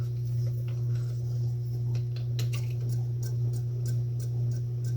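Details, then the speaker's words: Mid-1950s Wright & McGill Fre-Line Model 10-BC spincast reel after service and a dented cover popped out: light, uneven ticking about twice a second over low hum; clicking persists, suspected plastic spinner-head cover rubbing, not affecting smoothness. "nope nope I'm still hearing it so I don't think it was that I don't think it was that dead it must just be something I mean it's not really affecting the smoothness of operation it's just annoying little rubbing"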